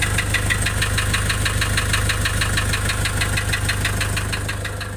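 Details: Nissan Urvan Estate with ZD30 (E25) diesel at idle: sharp regular knock about three times a second over a low hum, clattery and uneven; rough idle with white smoke, compression loss stated.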